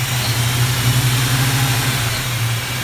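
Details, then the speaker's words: Plymouth Duster carbureted V8 (Holley) idling after carburetor fix for rich running and stalling in gear, not yet warmed up for final mixture adjustment, plugs still loaded from rich running; deep, steady burble, even beat, no stumbles or misses. "it seems to be doing just fine now we need to get it up to temperature before i can make the final adjustment from the carburetor but it's running good"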